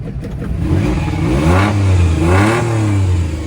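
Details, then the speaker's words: Car at auction, engine blipped with the exhaust physically cut off: loud raw open rasp rising and falling, no muffling at all. "Oh, it has no exhaust. There's no exhaust right here. It's literally cut."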